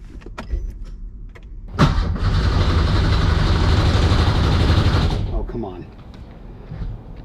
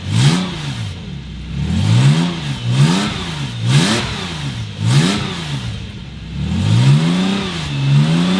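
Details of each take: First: Porsche 911 with swapped Subaru EZ30R engine: steady, even starter whirr about three seconds that never fires; no fuel pump heard, cause unexplained. Crank no start. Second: Porsche 911 with Subaru EZ30R flat-six swap, first run-up after plugging vacuum inlets on the air intake that caused very high revs: clean even blips then a steady climb, no stumble or rattle; smooth, idle now 800 rpm.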